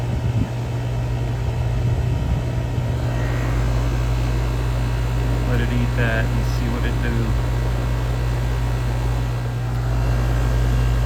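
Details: 2020 Rheem heat pump outdoor unit after compressor and defrost control board replacement, about 13° subcool and 10° superheat: steady even low hum, no knocks, rattles or squeals; compressor and fan running normally.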